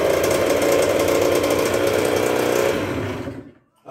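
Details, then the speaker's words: 1996 Yamaha YZ80 80cc two-stroke, just rebuilt and not yet broken in, restarted after third-kick first start; crisp rapid buzz at steady pitch then shut off, even firing, no knocking; normal running. "Fired up pretty good there. Didn't blow up. Like I said, took a few prime kicks to fill up the crankcase there, and then she popped off on the third kick."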